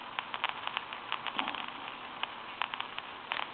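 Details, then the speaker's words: Western Electric 2554 mini wall telephone, Harvest Gold, on initial checkout with a line analyzer: irregular crackles and pops over faint hiss as the phone intermittently seizes the line; static noise on the line. "this is what I'm talking about if you see the analyzer it starting to seize the line sometimes and this is the noise that we're getting if you can hear that static"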